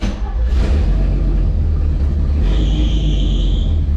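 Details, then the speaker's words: Classic truck fired up with the muffler removed: loud unmuffled rumble, then a sharp high squeal rising for about a second from a slipping drive belt. "All you hear is belt squeal. All right, it's a little awesome."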